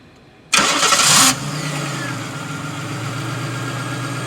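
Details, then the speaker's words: 1995 Chevrolet Monte Carlo LS, remote start, which the owner says sometimes overwinds the starter, more when cold: short crank, engine catches at once and settles to a steady even idle; clean start, starter didn't overwind. "Nope, it didn't wind the starter that time. That's good."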